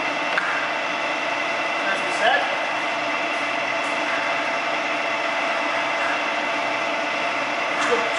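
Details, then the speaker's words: Harrison M300 lathe running under power feed with two shafts turning and quite big gears: steady, even mechanical hum and a faint gear whir, no knocks or grinding; runs quiet, normal. "okay little hour M 300 here I'm just going to fire it up and let you listen uh how quiet it is"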